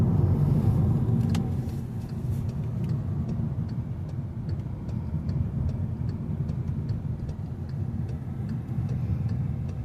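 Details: 2014 Jetta 1.8T with a freshly rebuilt engine on break-in miles, no check engine light: under way, a smooth low engine hum under road rumble with no knocking or ticking; pulls cleanly, normal running.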